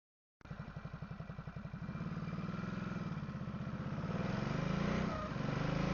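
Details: Ducati SuperSport 939: a thin steady whine while rolling in gear with the clutch engaged after shifting up, gone when the clutch is pulled. It once vanished after topping up low engine oil (about 500 ml), then returned; owner suspects the dry clutch seal ring.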